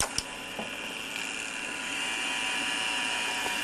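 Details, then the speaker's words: Gem Turbo Trax mono cassette copier, fast rewind: click as the button goes in, then a high whirr settling into a steady spin that slows as the take-up reel fills, by design so the tape won't break; normal. "Just press the rewind button and there it goes. Now, it sounds like it's getting slower and slower, because in fact it is."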